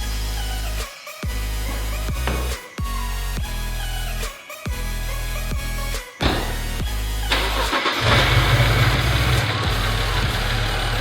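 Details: BMW 335i E90 just after an oil change with new drain plug and crush gasket plus a new expansion tank radiator hose: brief crank, clean catch, settles into a steady even idle with no knocks; healthy start.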